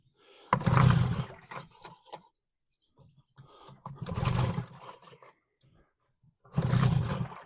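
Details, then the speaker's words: Reassembled two-stroke outboard after fitting a new fuel filter and new lead: three hard pulls about three seconds apart, each a short rumble of the engine turning over, close to firing but never catching; no start. "That sounded dangerously close to actually sparking into life."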